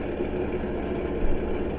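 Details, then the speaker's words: Titan space heater running and producing heat; even, steady low whir with no knocks or rattles from the rear fan blowing out heat so it doesn't overheat; normal operation, a weird smell, probably dust. "Of course, the reason why it's making that noise is because it has a fan at the back to blow out some of the heat"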